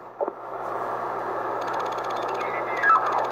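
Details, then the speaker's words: Radiuno BITX40 radio being tuned: quick faint clicks over steady receiver hiss as the dial turns, caused by no decoupling on the Arduino's 12 V regulator; a capacitor or two from regulator to ground removes about 80% of the clicking. "there's some mobs out there people have uh done the mod it's simply a capacitor or two uh across the 12vt uh regulator to ground and that that takes about 80% of the clicking noise out"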